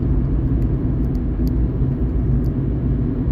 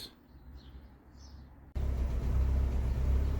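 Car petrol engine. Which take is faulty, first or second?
second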